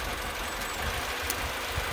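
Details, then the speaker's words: Mini Cooper at idle with one ignition coil deliberately unplugged: idle turns lumpy and uneven with irregular low thumps, tick-over slows and the engine rocks visibly because that cylinder produces no energy; a single-cylinder misfire, smooth again once reconnected. "when you lose the cylinder and i i'm in losing a cylinder there we go tick over usually slows down a bit and you can feel it see the engines moving around quite a lot and that's because this cylinder is not producing any energy"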